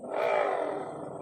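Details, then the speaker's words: Honda Click 125 V3 scooter CVT with torque drive fitted: loud, harsh mid-pitched roar, smooth once removed, so the torque drive bearing is worn and will be replaced. "Ayun oh. Lakas. Pero kapag inalis natin ayan smooth. So ibig sabihin sira na yung bearing ng torque drive niya."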